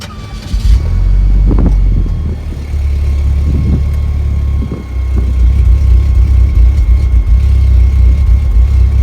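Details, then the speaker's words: Saab 9-3 that left its owner stranded, with a flashing check engine light and refusing to rev: engine catches, then idles lumpy and uneven with a stumbling beat about four a second, shaking the exhaust; misfire, cause not yet clear. "You can hear the idle. I mean, it's shaking the exhaust, it's so bad."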